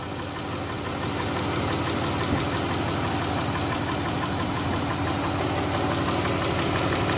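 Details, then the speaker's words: 2015 Dodge Grand Caravan 3.6-litre at idle; faint light tick about three per second, quieter than before, coming from the back right bank; broken rocker arms and failing hydraulic lifters, replaced. "So sounds as if though it's coming from the back, from the right bank. Okay. It's not that loud, which is a good thing."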